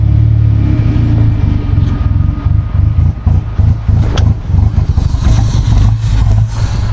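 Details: Goblin engine misfire being troubleshot: low exhaust note stumbles with uneven, lumpy pulses as it revs; cause still unknown.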